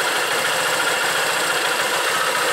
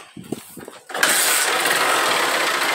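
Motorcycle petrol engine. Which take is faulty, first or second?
second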